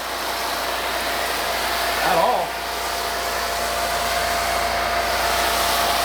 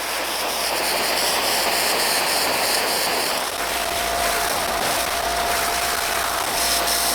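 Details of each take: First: RealYou no-dilution foam cannon (soap tank on top, under $20) spraying undiluted Adam's Mega Foam: steady, even hiss with no spurting or sputtering; huge foam output, uses little solution, normal spraying. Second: Sub-$20 no-dilution foam cannon with 80 ml undiluted Adam's Mega Foam and a new pickup tube, past two minutes of run time: steady hiss turns choppy and pulsing, about four spurts a second.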